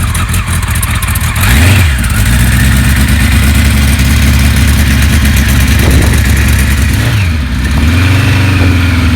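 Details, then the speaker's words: 1976 Kawasaki KZ900 restored, 28 miles on it, early spring in Ohio with snow on the ground: starts straight up into an even four-cylinder idle, blips rise and fall cleanly with no knocks or misses; healthy. "That sounds good. I'll give you a report later on today."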